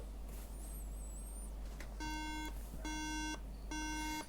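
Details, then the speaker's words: 2011 13-inch MacBook Air A1369 that won't turn on, battery disconnected and SSD removed, charger connected; three even half-second beeps about a second apart, repeating; three-beep RAM fault code, RAM reflow planned though CPU or PCH also possible. "we get three beeps and it just continues forever so i thought i turned it off let's try again"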